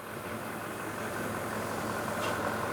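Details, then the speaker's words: Ford F250 6.7L diesel after DEF fluid was accidentally put in the fuel tank and the engine run; after repair it restarts and settles to an even, steady idle with a constant low drone, no knocks, misses or surging; sounds healthy. "mean, it sounds good. Oh yeah."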